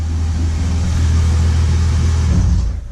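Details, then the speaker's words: BMW E30 with M52B28 engine, earlier knocking: after checks with the coolant drained, it now runs with a steady, deep rumble and no knocking or tapping; the cause of the earlier knock was never found. "стука нет проблем"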